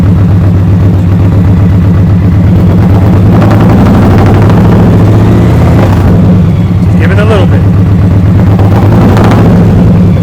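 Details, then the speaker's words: 2023 Indian Pursuit Elite V-twin with 4.5-inch zombie baffle slip-on exhaust, idling with throttle blips. Deep, heavy rumble swelling with each blip, roaring and loud; normal revving through loud aftermarket pipes. "you can already hear those zombie baffles it's roaring it wasn't to come out"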